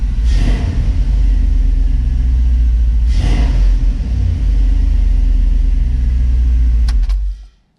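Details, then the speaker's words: Dodge Dakota 5.9L Magnum V8 started after new plug wires, distributor cap, rotor and coil pack fixed a bad misfire; a steady, even low rumble with no stumble or skip as it settles into a smooth, healthy idle. "So only thing left to do now is give it a start and make sure it's not misfiring or anything like that."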